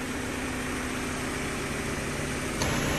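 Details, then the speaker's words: Honda Civic EK sedan, crank-no-start fixed by replacing the fuel pump and worn-out spark plugs: steady, even idle with no misses, stumbles or surging; engine running healthy. "all right so the car started it's running here no rough i don't know nothing you want a gun as you can see it's not a rough or nothing bro no nothing"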